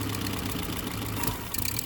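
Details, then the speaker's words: Willys engine just started after spark confirmed: steady even idle under some hiss, no knocks or misses; very quiet and sounds good, not yet warmed up. "Oh, it's idling! Wow, it's so quiet, I can't even tell. Oh, she sounds good!"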